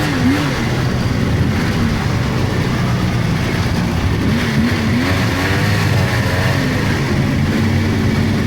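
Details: 1999 Polaris XCR700 triple two-stroke snowmobile, after adjusting belt deflection on the adjustable clutch: a steady drone rising and falling with throttle, no belt squeal or chirp. Jetted fat; clutch engages below 4,000 rpm.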